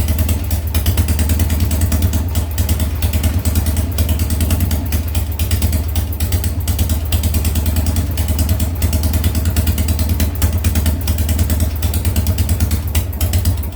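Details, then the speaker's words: Harley Sportster first start after top-end rebuild (new lifters, rings, cams, porting): lumpy V-twin idle with skipped pulses about three times a second; rear cylinder misfiring, not burning hot; owner suspects coil or Ultima ignition, plans coil swap. "a little misfire on that coil there on the rear cylinder it's not burning hot like the front is have to swwa that coil out"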